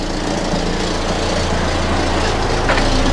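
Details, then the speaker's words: Volvo 480 petrol engine idling after CEM replacement: a raspy, puffing edge over the low hum from a clear exhaust leak up top; the earlier repair on that exhaust joint failed. "can't still hear a slight exhaust leak oh yeah actually there's quite an exhaust leak coming from up there so my my repair on the joint up there hasn't worked"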